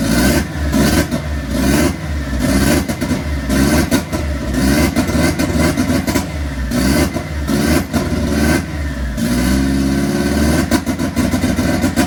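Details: Freshly installed Ford Zetec turbo in an MK1 Fiesta on its first start: rough, lumpy revving that rises and falls unevenly, stumbling on each blip; running rich and untuned.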